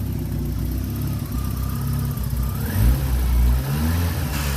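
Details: 1991 Peugeot 505 wagon; even low idle rises smoothly in a quick blip and settles back, no knocks or misses: smoothly running engine.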